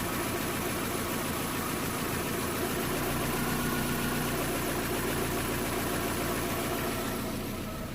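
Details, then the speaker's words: 2010 Vauxhall/Opel Astra H 1.6 petrol with P0011 timing code, restarted after timing work: steady idle with slightly uneven, lumpy beat under constant hum, slightly better than before; rough idle. "so i can say that is definitely running better than before i mean at least now that is running it seems to be running slightly better but i'm not sure i'm not happy with what i don't know"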